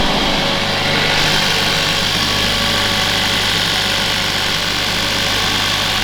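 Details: Mercedes W177 A45s first cold start after fitting a 200-cell sports cat downpipe with reused manifold gasket: loud steady idle, constant low drone with hiss on top, no ticking or puffing at joints; no air leak felt, sounds sealed.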